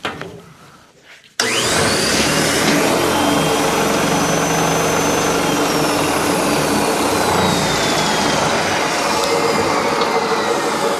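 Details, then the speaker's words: DeWalt D55146 oil-free air compressor (loud, not building pressure), run with piston disconnected so nothing compressed: fast shaking hum beating unevenly about four times a second, motor side extremely unbalanced. "Definitely extremely unbalanced."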